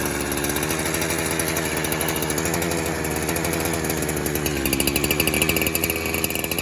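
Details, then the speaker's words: Warmed-up 372 clone two-stroke chainsaw with the clutch removed: high, raspy, unsteady buzz that shifts pitch. Spraying behind the clutch at the crankshaft seal nearly stalled it, indicating an air leak at that seal; re-run to verify. "And as soon as I hit there behind the clutch, that's where she almost died. So let's fire it up again and we'll verify."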